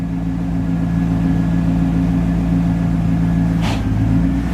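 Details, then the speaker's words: Rough-idling car after a new battery, owner suspects a stuck IAC valve that was then reset: loud, deep, raspy drone at idle, far louder than a sealed system; exhaust leak from a rusted hole in the muffler. "what's going on hear that got a rust tole and Muffler right there so need that"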